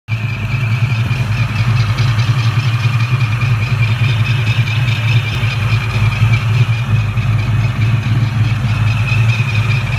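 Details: 2004 Ford Mustang Cobra supercharged V8 idling with a steady high squeal over the rumble: supercharger belt slipping from a bad tensioner arm, which also caused belt slip at high rpm; new tensioner and Gatorback belt seem to have fixed it.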